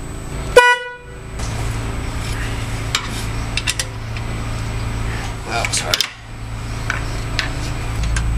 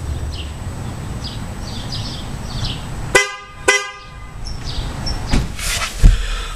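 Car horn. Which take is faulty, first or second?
first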